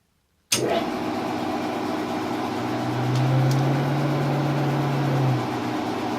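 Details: C11MB lathe running with a steady mechanical hum, then a low droning tone rises for about two seconds and fades; the source of the strange noise is unclear.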